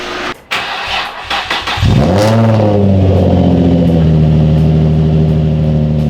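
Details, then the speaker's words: Nissan 350Z with newly fabricated exhaust replacing open header: starter whirs, engine catches with short rev, settles into deep steady idle while residue burns off in exhaust; runs clean. "doesn't sound amazing but not too bad either also that's just all the crap those in the exhaust in the world like everything on the nastiness burning off"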